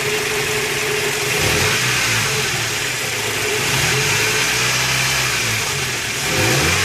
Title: 2001 Toyota Tacoma Prerunner 2.7l clatter noise